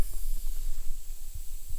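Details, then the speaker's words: Maple sap tubing vacuum system, vacuum pump on for the season's first run: thin, steady high hiss over faint low rumbles at a poorly burned-in spin-seal fitting on the main line, louder when the nipple is pushed; vacuum leak, fix by recutting and re-seating. "sure you can hear that so if I push this nipple towards me listen that gets louder now if I go away from me quiets right up so that's not a hard fix"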